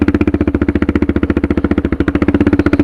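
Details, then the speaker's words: Suzuki DR650 with a Procycle jet kit (150 main jet), DGV2 slip-on and stock header, at under 1–2 mph on a sandy hill with barely any throttle. Steady, unbroken thumping at about 220 beats a minute; it pulls cleanly, which stock jetting couldn't do. "I'm barely even on the throttle, guys. And if I was trying to do this in stock jetting, there's no way I could do it."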